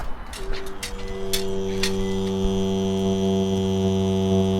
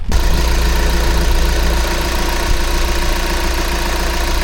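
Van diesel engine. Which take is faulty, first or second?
first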